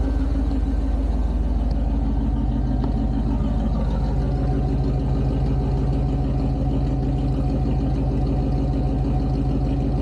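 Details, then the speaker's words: 1988 Pontiac Firebird V8 with shorty headers and Edelbrock Performer 1406 intake, started cold after long storage: deep, steady idle, even low rumble about three pulses a second, no knocks or misses; normal cold idle. "It's starting to chug along. You can hear But like I said, nothing crazy."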